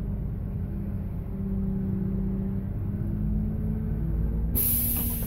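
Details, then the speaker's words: Class B bus air brake test with the engine at slightly raised idle. A steady rumble is followed by a sharp air purge as the compressor governor cuts out at 126 psi, under the 130 psi limit, so it is working properly. "air compressor governor callahan 126 psi and it's working properly"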